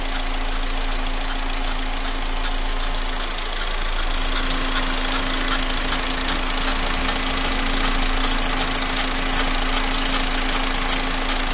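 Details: Idling engine with a steady light ticking knock about two to three per second over a sharp high hiss; engine knocking noise, cause undetermined.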